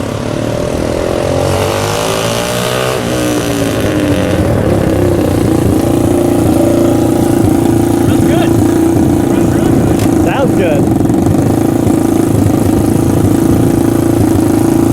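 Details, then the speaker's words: Small mini-chopper engine (orange bike motor, previously broken kickstarter) in a bike with straight pipes: loud raw exhaust bark holding a steady even beat, no knocks or misses; healthy engine. "Making noise. Just got to make noise with the straight pipes on this thing."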